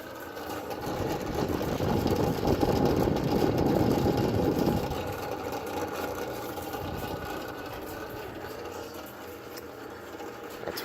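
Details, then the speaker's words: Frigidaire Gallery wall oven under four years old, during a self-clean cycle: cooling fan makes a rough, rattling grind pulsing about four times a second, still running but not working properly. "still functioning even though it's making a terrible noun noise and it's not functioning as intended it's not functioning properly"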